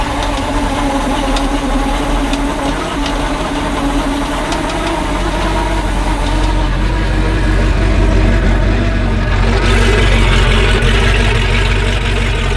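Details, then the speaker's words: MerCruiser 330 hp 454 Chevy V8 in a 1989 Sea Ray 268, on muffs after new exhaust manifolds, risers, elbows and oil cooler: deep steady rumble swelling smoothly with revs and settling back, no knocks or misses; normal running. "Either way, I wanted you to hear it run. It runs good, at least on the muffs it does."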